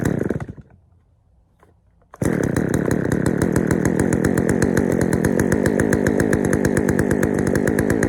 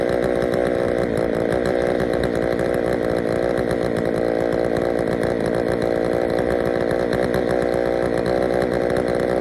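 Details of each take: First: Poulan 3000 chainsaw, previously wouldn't start, after draining dirty old fuel and adding fresh: catches after a pull, then fast slightly uneven burbling idle; runs fine but a little rich, low-speed mixture to be adjusted. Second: Poulan 3000 chainsaw after service (fresh fuel, air filter cleaned), previously reported not starting: even, steady high-pitched buzz at constant speed, no stumbles or surging; runs cleanly.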